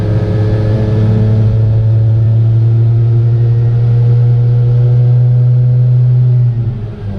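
Loud, steady buzzing drone held at one speed, then sagging at the end; something sounds off in this small two-stroke.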